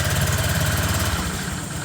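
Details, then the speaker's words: Honda Click 125 scooter idling after a PCX 150 (big) radiator fan was installed: steady single-cylinder putter with an even beat, no scraping or ticking from the fan area; fan not rubbing, runs clean. "wala naman siyang tumatama kasi wala siyang humingay mga boss. So ngayon rev natin siya."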